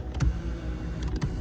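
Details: 2014 Kia Cadenza driver-side power seat after the displaced protective boot was moved off the rail: a low, even motor hum with a couple of light clicks and no grinding; the seat track now runs smoothly.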